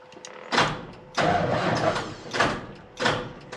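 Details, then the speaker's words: Diesel truck in neutral with dead batteries turns over in slow, uneven heaves and never catches; a low-voltage beeper warns the batteries are at the bottom end, slow crank, no start. "Nope, not quite. Almost. Doesn't have enough battery, huh?"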